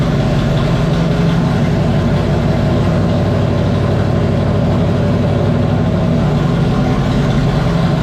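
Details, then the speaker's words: 1994 Terry Labonte Oldsmobile race car V8 after replacing bad spark plug wires and plugs (spark had been seen jumping from a wire): deep, steady rumble, even idle with no stumbles, misses or popping; normal idle, all cylinders firing cleanly. "all right guys man that car sounds so much better my gosh what a difference it's running strong running smooth it sounds so good"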